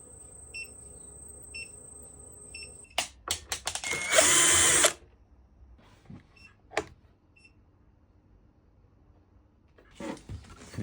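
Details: Electric scooter (Xiaomi Mi/Carrera 2.0) after a throttle replacement. No error code is shown, the motor spins but gives the wrong speed. A short high-pitched beep repeats about once a second; the beeping stops with a replacement controller, so the controller is faulty.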